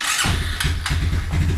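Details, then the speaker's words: Suzuki Quadrunner 250 that sat about 7 years, old clean-looking oil, choke on, in neutral, cold: catches almost instantly and settles into a steady, even low thump; clean, healthy start, slight smoke afterward. "you kidding me that easy wow guys wow a little cold blooded yet i can't believe how easy this thing started"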